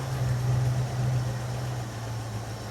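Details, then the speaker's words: 1981 Jeep Wagoneer Limited, AMC 360 V8, revived after sitting 20+ years: low, steady rumble with no ticking, clatter or knocking; oil pressure judged good, the faulty reading blamed on a junk sender. Quiet, normal idle. "We were scared because that sender is obviously junk. She's quiet, and she's idling good."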